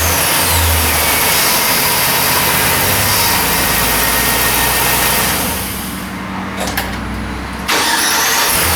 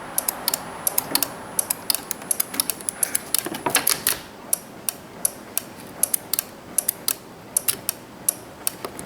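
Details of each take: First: 2006 Chevy Silverado 1500, towed in with no crank no start, after replacing the faulty starter and the original battery: engine cranks, catches promptly and settles into a steady run, normal starting. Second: 2006 Chevy 1500 truck, towed in with no start no crank: starter relay in the fuse box clicks sharply about three times a second with key held to start, but no starter motor cranking; ignition switch side confirmed good.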